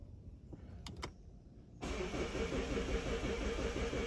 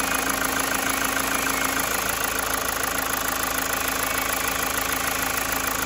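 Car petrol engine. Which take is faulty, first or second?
first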